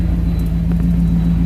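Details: 1973 Ford Maverick restomod, fuel-injected 302 V8 with cold-air induction, idling around 800 rpm with almost 60 psi oil pressure. Deep, steady rumble from the exhaust with no ticks or misses: normal, healthy idle.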